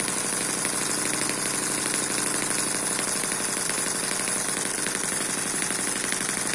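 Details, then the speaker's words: Eachine EM1 four-stroke double-piston (opposed-piston) mini engine, fairly cold shop, needle valve set right: quick steady exhaust popping about four a second over a buzzy running note at a good speed; normal running. "if it's not popping then it tends to load up and the spark plug gets wet and it'll quit on you this is a pretty good speed just like this"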